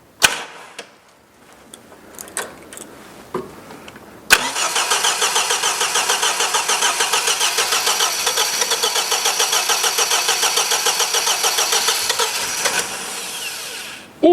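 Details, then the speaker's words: 1977 MGB, many years off the road, won't start: starter cranks steadily about two turns a second with one weak first cough near the end; owner says it's all about ignition timing; cranking but not starting. "it coughed that's the first time it's done that let's try again"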